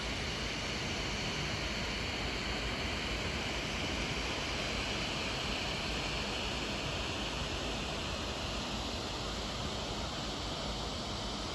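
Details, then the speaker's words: 2014 MacBook Pro, dual-core i5 2.6GHz, 8GB RAM, on macOS Big Sur under heavy load; fan spinning faster than on Catalina, a steady airy rush with no pitch swings or rattles, normal. "And this also has obviously increased the fan noise when under load."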